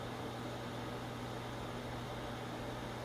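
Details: New replacement inducer motor on a Trane XR90 furnace, which replaced an old unit with bad bearings: quiet, steady low hum with a soft airy rush, no rattles or squeal; runs smoothly, like a kitten.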